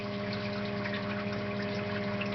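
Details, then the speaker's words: New EcoTech Marine Vectra L1 aquarium return pump running at speed setting 3: steady low hum with a clear buzzing tone over water noise. It is audible across a quiet room and gets much louder at higher speeds. "now pump has been calibrated from just a trickle on my tank to maximum output and right now it is running on number three and you can hear the pump humming"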